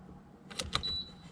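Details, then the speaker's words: Jeep Renegade with key off, after new battery and a 20 amp fuse added so the rear 12V socket has full-time power: 12V fridge/freezer plugged in, soft clicks then one short high beep as it powers up; normal power-on beep. "That's a great sign, I just heard the beep."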